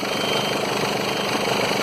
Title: SPRINTER 313 /2011 BARULHO NO MOTOR polia do alternador travada causando ruído aí manobras